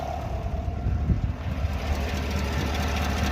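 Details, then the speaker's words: 6.2 engine after replacement, on a test drive: low rough idle with faint uneven knocking underneath, owner likens it to a rod or lifter noise, with no misfires felt; cause unconfirmed. "This is crazy. Like a rod lifter. But I'm not getting any misfires or anything."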